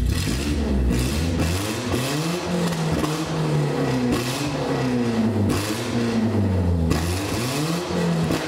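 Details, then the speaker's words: BMW E36 drift project after cylinder head and timing chain install, running without exhaust and without thermostat, idle RPM adjusted, engine hot: raw open-pipe note rising and falling smoothly through several revs, no knocks or rattles, crisp response; normal revving. "moment I know I don't have an exhaust but still I think it has has a very good kick we didn't have before"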